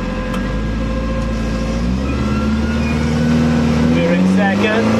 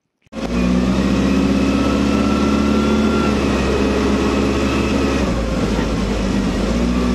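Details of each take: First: Commer van with 2.3 turbo, new in-tank pump, about 10 litres fuel, driving uphill on high boost: uneven stumbling beat under exhaust drone; misfire, owner unsure if low fuel. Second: Commer van with 2.3 turbo on road test after new in-tank fuel pump and four fresh spark plugs: smooth, even engine note pulling cleanly, no stumble; misfire gone, performance much improved.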